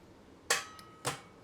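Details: Holden VZ Commodore with a no-start condition, starter relay bypassed by bridging pins 30 and 87 with a big spark. Two sharp electrical snaps half a second apart; the starter clicks but never cranks.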